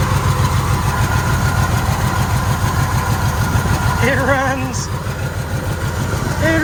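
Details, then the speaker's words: 1980 Jeep J20 pickup V8, sat abandoned 13 years: rough, lumpy beat that wavers and sags as if fuel-starved, running only briefly before faltering and dying; fuel issue suspected. "it's probably gonna run out damp there kosis yeah so we definitely have a fuel issue"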